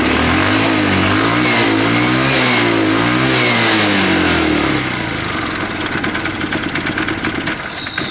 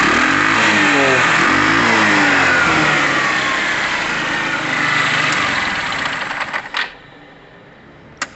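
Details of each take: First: Tamoretti Retro scooter/moped, old carburettor: revs rise and fall cleanly up high, then drop to a ragged, uneven stutter at low revs; unhappy on lower revs, happy on higher; owner believes it is clearly a carb issue, else spark plugs. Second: Tamoretti Retro scooter/moped, after air-fuel screw adjustment, earlier struggling slightly with fuel: crisp rev falling smoothly back to a steady, even idle with no misses or hunting before shutoff; seems spot on, running properly.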